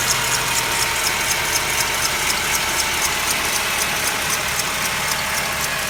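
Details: Mercedes W204 with M271 engine, cold start: sharp metallic ticking about four times a second, steady and even over cold idle; cold-start knock, cause unknown.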